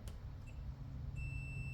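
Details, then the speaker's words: Multimeter continuity test on a short, intact wire: a clean, steady high beep without dropouts, showing continuity and a complete circuit. "you can hear we're getting our our tone there"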